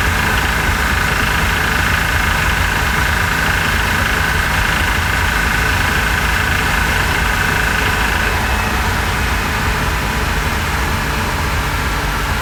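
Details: 2006 Porsche Cayman S, rebuilt engine with 40,000 km, warmed up, driving at 3,100 rpm in second and third gear, engine cover off: loud drone with faint rapid knock underneath; external sources eliminated, cause not yet found.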